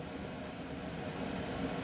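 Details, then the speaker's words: Coway AP-1008CH air purifier at full turbo fan speed: loud, smooth whoosh of air with the fan whine intensifying, and no ticking or rattle. This is normal fan noise. "now we are going full-tilt going up to turbo and as you can hear it is getting pretty loud now well you can really hear the loudness of it but you can hear the the whining of the fan is getting more intense"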